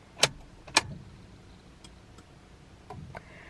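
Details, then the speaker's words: 1997 Honda Prelude BB6 H22A cranking but not starting, fuses checked: two crisp relay clicks at key-on then faint fuel pump whirr; main relay and fuel pump work normally, so spark suspected next. "I definitely hear the fuel pump there it is is definitely firing and I hear the main really kicking off as well"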